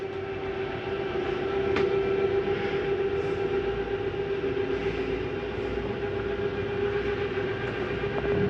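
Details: Jayco Jay Flight SLX 32BHDS travel trailer slide-out retracting after the slide-in switch is pressed: a steady, even motor hum at constant mid pitch with no knocks or grinding; the slide retracts normally.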